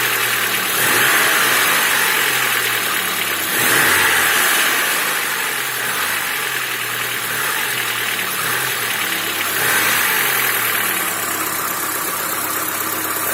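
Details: Lada Niva engine at steady idle with a regular light knock, roughly three per second, repeating over the engine note; source suspected, not confirmed.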